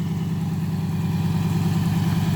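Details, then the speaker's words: 1995 Acura TL at idle: light quick tick over the exhaust pulse; owner suspects A/C compressor pulley and plans replacing compressor, says engine is not knocking. "what you hear that little tick tick yeah that's the compressor police so that's gonna be the next thing I replaced"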